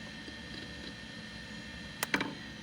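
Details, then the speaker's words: Quantum 50 MB hard drive, repaired, in an older computer, phone placed next to it at shutdown: quiet hum, then sharp clicks/clunk as the head stack parks and bounces off a homemade rubber bumper; normal. "Did you hear that clunk? Okay. That clunk is the sound of the head stack being sent to its park position. And it's bouncing off of a homemade rubber bumper."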